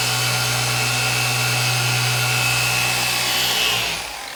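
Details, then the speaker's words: Maxshine M15Pro polisher on speed 4 on a light contour of a car panel: even motor drone with pad hiss, then pitch sags and fades as the pad stalls on the curve. "Right off the bat, you'll notice in this very minimal contour how it's stalling on speed 4."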